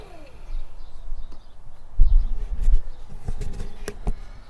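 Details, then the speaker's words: Campervan Propex gas heater after fan-fault strip-down and repair, bench-tested uninstalled with gas not connected; thermostat wound up, low fan rumble spins up with sharp relay clicks; normal heater start-up. "I shall wind the thermostat up, and then you shall hear it. Hear the fan start, relay clicking."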